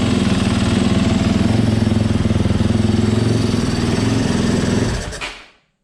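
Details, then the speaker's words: 2018 Yamaha YZ250FX, about 260 hours, which cranked but would not start, after fitting a new OEM fuel pump: steady, even fast idle with a clean, regular beat, then shut off; normal running, and the fuel pump was confirmed as the fault. "Well, there you have it, YouTubers. The problem was my fuel pump."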